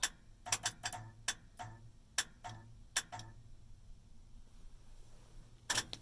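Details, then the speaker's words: Steering wheel and horn button from a Grant GT kit on a 1965-1970 Chevy/GMC C10 truck: pressing the button makes contact, giving sharp dry clicks in uneven bursts with no horn note behind them; horn relay clicking. "So you see it's holding it away. When we push it, you can hear it making contact."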